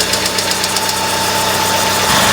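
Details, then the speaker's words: Gas Hyundai Accent, 127,000 km, fresh oil change, timing belt likely due: sharp diesel-like rattly ticking clatter from the top end at cold idle; it sounds normal once warmed up, cause not identified. "But if I fix the car, whoever I sell it to, it really can't sound like a diesel engine every day when it's a gas motor."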